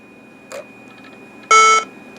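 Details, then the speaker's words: Macintosh PowerBook 190cs/66 laptop, internal speaker: a short, bright electronic chime of about a third of a second over a quiet room. The speaker works normally. "it's definitely the speaker cuz I heard the sound coming from there"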